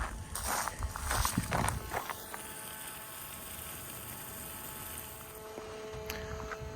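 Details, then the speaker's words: Flo-Jet RV macerator pump after about 15 minutes of continuous running, with no thermal overtemperature shutoff: steady electric hum with a thin, even whine. Normal running. "all right it's now been 20 minutes exactly pump is still running has not shut off due to uh over temperature"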